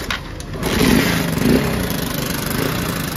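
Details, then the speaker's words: Honda Shine motorcycle, battery dead so no electric start, choked and kicked after repairing cut wiring; small single catches and holds a steady even idle, starting normally, though timing chain tensioner noise is noted. "तो friend finally start हो चुका है गाड़ी सुन सकते हो जोजन का sound है"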